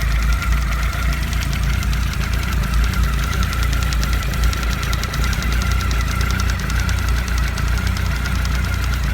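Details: Honda CB1300, cold idle after antifreeze change: fast even knock from below near the water pump; pump stripped and fine, factory play between pump and oil-pump shafts; owner suspects air lock making pump shaft jump, not confirmed.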